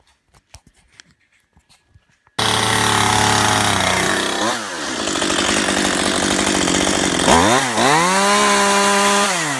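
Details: Chainsaw, after cleaning a clogged bar oil hole to fix non-oiling: starts, revs up, drops back and revs again with a clean, even buzz and no stumble; runs properly and now slings oil.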